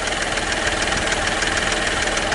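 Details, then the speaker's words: Hyundai Matrix 1.5 CRDI diesel idling after hydraulic lifter replacement. Steady, quiet, even diesel clatter with no distinct knock. Normal idle after repair. "довольно тихо стабильно но такой вот дизелек нормально стука нет отчетливо"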